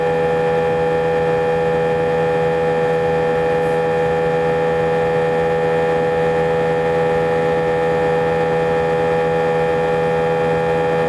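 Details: A320 cabin during takeoff: loud steady drone with many fixed tones stacked over the roar, vibration felt through seats for the whole five-hour flight, drowning intercom announcements; abnormal engine noise, cause unknown.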